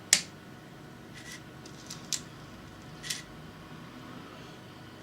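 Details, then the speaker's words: Sony TCD-D7/D8 DAT tape mechanism powering up after repair (transfer cog moved back away from arm): light clicks and short whirs as it loads, spools engage smoothly, no grinding or straining; sounds much better, normal. "sounded a lot better, and even the spools and everything engaged."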